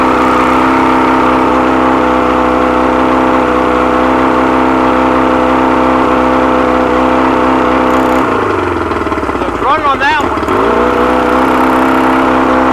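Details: 100 hp outboard, carbs rebuilt elsewhere, never ran right since; compression and spark good on all cylinders: fast uneven idle surging and dipping; found stripped carb screw threads, missing lock washer, old gaskets.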